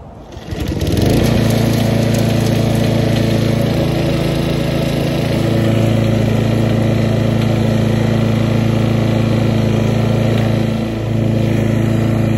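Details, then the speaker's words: Lawn mower engine after rebuild for knock from running low on oil, back closer to round and spec: catches and settles into smooth high-speed drone, RPM then turned down; no audible knock standing next to the mower, huge improvement; normal running. "so there we have it I can't hear audible knocking standing next to the mower and I suppose in that respect it's a huge Improvement"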